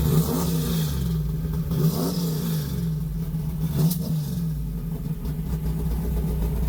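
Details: Low, heavy rumble rising and falling with throttle blips, no tapping or knocking, from a big-block Mopar V8; normal idle and revs.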